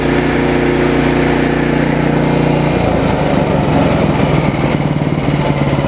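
Small engine's beat keeps changing, running steady then loosening into an uneven, hunting rhythm around three to four pulses a second; surging governor.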